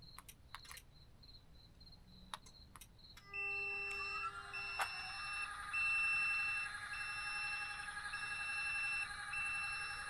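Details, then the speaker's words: Tec Vans elevator bed in DIY camper van after fixing the wiring mistake: steady lift-motor whine with regular beeping about three times a second as the bed moves; lift and switch now work, bed not yet levelled. "As you can see, I still need to level it all out and make sure it's kind of straight, but it works, yo. And the switch works, too."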